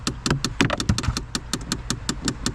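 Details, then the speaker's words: 2012 Chevrolet Impala, key on: rapid sharp clicking with dull knocks from behind the glove box; a second failing HVAC door actuator (recirculation, mode or temperature door), louder and slower than the first one. "so i think there's two actuators back here that are clicking because this one is louder and of a slower slash lower frequency than the one we just heard"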